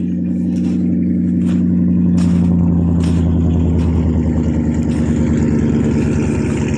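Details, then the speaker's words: 1993 Ford F-150 with a 5.0 302 V8, cold start after sitting a month or more, with an 18-inch glass pack, no cats, 3-inch pipe in and 2.5-inch tailpipe: a deep, even burble at the tailpipe with a mild rev rise. Healthy idle. "it's not real loud it's got a like 18-inch glass pack on it with no cats it's got 3in pipe going in the muffler and 2 and 1/2 in tail pipe so it don't get real loud but it don't sound bad though for what it is"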